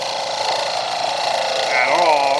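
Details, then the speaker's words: Wood lathe at 1680 rpm, Vicmarc Escoulen eccentric chuck, wood with thin sections far off the headstock: harsh fluttering buzz over spinning work; wood chattering and vibrating under too heavy a cut. "that sound is not good it is the sound of wood too big of a cut being taken so far off the headstock"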